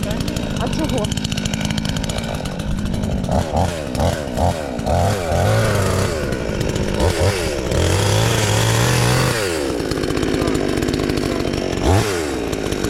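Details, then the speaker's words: Chinese counterfeit chainsaw sold as a Stihl (MS 461), newly assembled and first start attempt: saw catches and buzzes strongly, revs swooping up and down cleanly with each throttle blip; starts and runs properly. "But there is a start, the saw starts, well, let's start it again."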